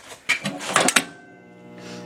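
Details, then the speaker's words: Original 1954 bandsaw motor starter humming badly: a steady, buzzy, layered electrical hum after some handling clatter. It was found hot to touch, and something inside is suspected to be failing; it is to be replaced with a new one. "but I am having a problem with the bandsaw my motor starter there"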